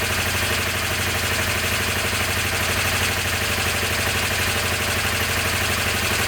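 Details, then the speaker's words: Honda CB250N twin, stone cold with choke, after the right carb's idle circuit was cleared and the screw backed out 2.5 turns without removing the carbs: steady, even twin idle, both exhausts warm; normal idle. "that was a good start that's running both exhaust are War okay"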